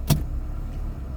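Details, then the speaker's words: Salvage 2002 Toyota Corolla LE with suspension damage, no brakes and the e-brake on, check engine light set (cylinder 4 misfire): at idle it shifts cleanly through reverse, drive, neutral and park with a soft thump and no slip. "into gear very nicely you can hear it I read and catches again and then you can see the RPMs catches reverse catches drive neutral park nice"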